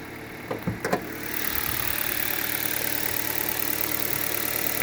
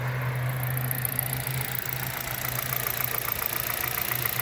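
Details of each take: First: 2011 Hyundai Solaris G4FC, 166,000 km, cold morning start at 15 °C, new reinforced chain, phaser and valve; raised warm-up idle runs evenly with no knock or tick, possibly masked by high rpm: normal cold idle. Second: 2011 Hyundai Solaris G4FC, 166,000 km, new chain and phaser; idle about 900 rpm, coolant 58 °C warming up; light regular tapping about three to four per second, clearer with warmth, from the upper engine; source unknown: engine knock.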